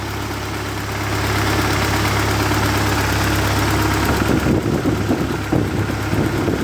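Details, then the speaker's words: 1948 Ford 8N tractor fully warmed up after rebuild, thermostat open and coolant circulating, nearly out of fuel: a steady, even low idle with a smooth rhythm and no knocks or misses. It is running healthy. "so what we're going to do now it's it's all warmed up and it's running good it's just about out of gas"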